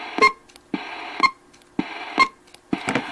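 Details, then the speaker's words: RCI 2980WX radio on stock hand mic, with the Echo Max unhooked, gives a sharp pop with a short tone about once a second each time the mic is keyed; cause unknown. "whenever i key the mic it makes a noise"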